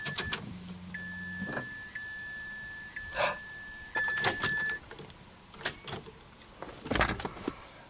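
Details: Flood-damaged (water) 2004 Mazda RX-8 6-port manual, immobilizer no-communication code now cleared, no codes: key-on gives a short low buzz, then a steady high whine about four seconds with clicks; normal priming sequence.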